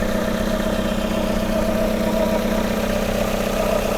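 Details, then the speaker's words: Steady idle with a thin, constant whine over it on a Hyundai Tucson at first start after head gasket work; owner suspects the belt bearing is too tight or failing, and the noise later fades. "That sounds like it. What is that noise? I think my bearing for my belt might be too tight or just going right now."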